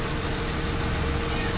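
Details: Hyundai Accent petrol engine idling roughly with an uneven, stumbling beat, with no spark on cylinder four despite a surplus ECU swap; the computer is suspected faulty, alongside a problem wire at the alternator.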